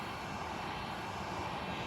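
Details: Hot air rework station at airflow setting 7 and 400 temperature, heating up to reflow the chips of a PS3 Slim: steady, even rushing hiss with a faint fan hum, no surging or rattle; blowing normally.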